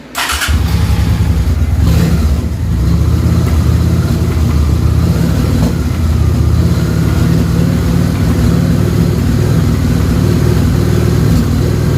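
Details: Honda VT 750 V-twin after stator replacement, starting: catches right away and settles into an even, deep idle with no misses or knocks; charging now near 13 volts, engine sounds healthy.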